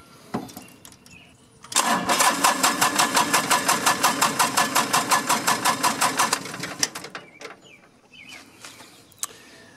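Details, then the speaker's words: John Deere compact diesel tractor right after a fuel filter change: the starter churns at an even beat, about three compressions a second, for roughly five seconds with no firing. Air in the fuel line; the fix is bleeding it at the bleeder screw. "we got a little air in the line so i'm gonna have to bleed it"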